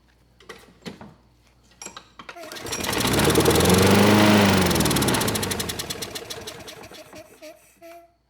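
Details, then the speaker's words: Craftsman lawn mower with Briggs & Stratton Quantum engine (128T02-1270-B1), curbside find, before carburetor cleaning: catches and runs with controlled engine speed about five seconds, then dies; owner suspects throttle plate had been stuck, carburetor needs cleaning. "okay that was a lot better the engine it didn't run for long but it sounded like it was under control as far as the engine speed goes"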